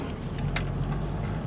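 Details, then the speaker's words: VW Amarok on the road, low rumble with sharp single knocks only over bumps, silent on smooth road; owner checked tailgate and top cover, not them; knock over bumps, source unknown. "на на кочке она как стопки постукивает вот сейчас вот дорога ровная не услышал я этого"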